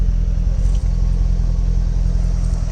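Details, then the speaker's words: 2008 Chevrolet Corvette C6 LS3 V8 idling with an uneven stumbling thump from a cylinder 7 misfire, driven days with engine vibration before the check engine light; spark coil and spark wire on cylinder 7 to be replaced. "We was driving a few days without check engine light, but it was driving with vibrations that were coming from the engine. Cylinder number 7 misfire."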